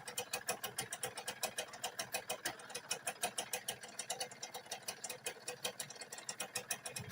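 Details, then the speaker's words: Tena 5-speed small motorcycle idling with fast metallic clatter, about seven rattles a second, from mid-engine; noise goes quiet when clutch lever is pulled; worn clutch plates causing clutch rattle at idle. "ถ้าเดินเบาปกติมันจะมีเสียงดังนะครับถ้าเดินเบาปกติมันจะมีเสียงดังสำหรับเสียหน้ากันนี้นะครับเพื่อนๆนะครับที่นี้พอเราบีบครับปั๊บนะครับพอเราบีบคลัชนะครับเสียงเครื่องมันจึงเงียบลงแล้วเพื่อนนะครับ"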